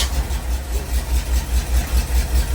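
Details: 1985 Jeep CJ7 with AMC 304 V8 and 727 transmission, first start after reconnecting a loose 12-volt HEI power wire with a bad crimp; even, low, rhythmic burble with steady pulses, no misses or knocks, smooth healthy idle.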